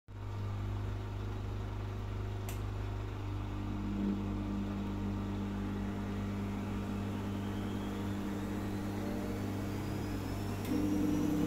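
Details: Gorenje SensoCare WAE74 washing machine after motor bearings replacement, spinning up to 1400 rpm in about 16 seconds: low steady hum with faint rising whine, smooth, no rumble or grinding; worn pump is the only other noise.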